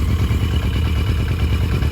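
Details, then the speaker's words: Barn-find 1982 Yamaha Maxim 750 or 1983 Honda Shadow with choke off, idle knob just turned clockwise to raise the idle. Low, even burble with a steady beat and no stumbles or misses: normal idle. "I turned that clockwise to up to idle. And now we're idling pretty smoothly."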